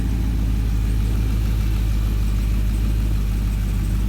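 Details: Dodge Charger/Challenger V8 just fitted with an 87mm ported throttle body: a deep, even burble at steady idle with no misses or surging; it sounds smooth.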